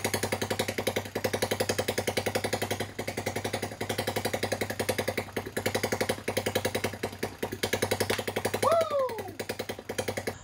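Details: TaoTao ATA110 110cc single after a full top-end rebuild (new piston, rings, sleeve, valves) with a PZ20 carb, running on its own for the first time before break-in. Quick, even, steady putter with no knocks or misses; a healthy idle.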